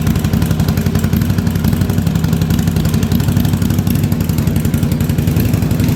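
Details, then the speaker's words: 1983 Yamaha Virago 920 V-twin barn find, freshly revived, spark plug replaced: loud uneven idle with pulses dropping out as the front cylinder kicks in and out; owner unsure if fuel, rough intermittent misfire. "uh she wanted to come to life there that front cylinder I don't know if it's the fuel or what but it's the front cylinder is kicking in and out there a little bit"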